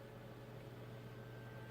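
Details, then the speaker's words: Packard Bell iXtreme Gold MC 1807 with a Prescott CPU, already repasted: the CPU fan ramps up to a steady, loud whir with a low hum and faint tones while only web browsing and reading news, because the Prescott runs hot. "Don't know if you can hear it on camera, but yep, it's going 10 to the dozen, and all I'm doing is reading the news."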